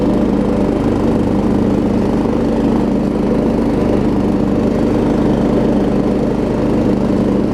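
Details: Troy Bilt Pony riding mower after its no-start was fixed (loose starter solenoid connection, new battery), with new blades: steady single-cylinder drone holding speed with blades engaged, no stumbling; normal running under blade load.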